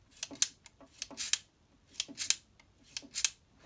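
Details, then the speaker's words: Minolta XE-5 with 50mm f/1.7 lens, aperture ring swung back and forth: thin, high, clicky rasps about once a second with a faint dry squeak from the aperture follower, which needs lubrication or repair. "so we can hear that little bit of squeak so that must be taken care of lubrication or that problem must be fixed if you don't want to make noise when you move the aperture selection back and forth"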